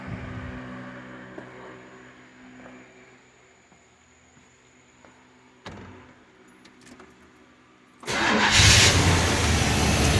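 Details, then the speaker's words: 1990 Chevrolet 1500 5.7L 350 TBI, about 300,000 miles, first start after replacing fuel injectors for rough running and smoking: after a few clicks the V8 catches abruptly and runs loud and steady, with some smoke at first. "Well, it runs. That's good. Got some smoke right off the bat."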